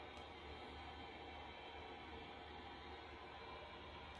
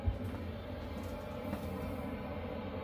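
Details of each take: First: Chinese diesel air heater in a tent trailer, about 12 °C against a 15 °C target: hums low and steady at reduced output, throttled down because the fuel level was too low for the pump; adding fuel resolved it. Fuel starvation. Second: Chinese diesel heater in a tent trailer on a cold day, starting around 1.3°C, 10 minutes after start-up with the fan wide open and full temperature bars: steady, even roar with no surging or rattles; normal full output.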